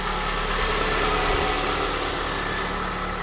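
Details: 2006 Honda Accord after no-start fix: steady, even idle with smooth hum, no misses or knocks; white smoke on throttle, suspected trapped fuel or condensation burning off.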